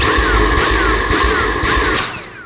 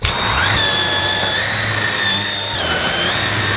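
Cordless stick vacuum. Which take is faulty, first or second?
first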